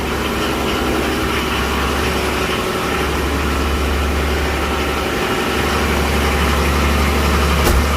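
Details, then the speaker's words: 1984 Nissan Patrol SD33 diesel, cold start after sitting months: loud steady idle with even low throb about three beats per second, no knocks, very smoky; runs fine. "This one's really smoky though. Like, she is a smelly truck. Dirty diesel, I think they call it. But it runs."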